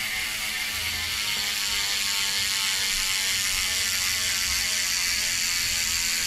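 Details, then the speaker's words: Sondors Rockstar e-mountain bike with new rear hub, after chain guide fitting, coasting: fast, steady crisp freehub ratchet clicking of about 220 ticks a minute; normal and healthy. "okay I'm happy with that you listen to that new Hub huh"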